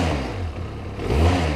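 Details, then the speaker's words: Benelli TRK 502 motorcycle at 12,000 km, revved at standstill in neutral: rattly, buzzing resonance and several odd noises on the engine note, with a specific whistle when riding; something vibrating, source not pinned down. "natomiast On wydaje z siebie kilka różnych dźwięków"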